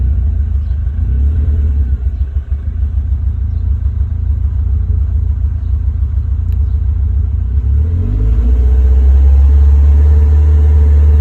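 Deep, lumpy rumble at idle with uneven pulses and a wobble partway through; warm engine idling roughly, cause not clear.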